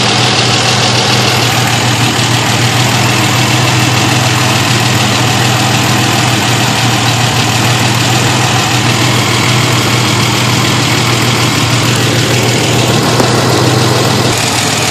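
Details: 1991 Ford Explorer petrol engine at idle: light, fairly quick ticking over steady engine hum; suspected lifter tick, unconfirmed.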